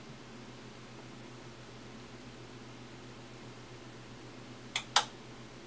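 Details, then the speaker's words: Samsung 52-inch LCD TV LN52A550, back opened, fails to power on: two sharp power relay clicks over a faint hum for a few seconds, red light blinking; fix is replacing the mainboard. "I just plug that in to show you what the clicking sound sounds like it should be clicking a few seconds"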